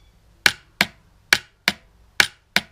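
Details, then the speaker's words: Yamaha XS1100 cafe racer rewiring, starter button pressed with starter motor lead disconnected; six crisp separate clicks about every half second, no cranking, starter solenoid relay engaging cleanly each press. "Happy days. One working relay."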